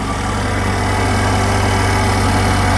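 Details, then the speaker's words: Saturn Sky with manual transmission, after cooling-system repair for intermittent overheating and no cabin heat: coolant refilled, engine started with the surge tank cap off, giving a smooth, steady, even idle with no ticks or knocks; the engine sounds good. "Okay, now I'm gonna start the engine with the cap in the surge tank off. Let's see. So as you can hear, the engine is running, engine sounds good."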